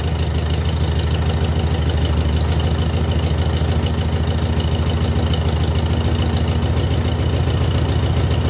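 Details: VW engine just fitted with a new Pertronix distributor and coil, timing being set: a steady, even low idle with a smooth regular beat and no misses or stumbles. It runs cleanly, sounding much better.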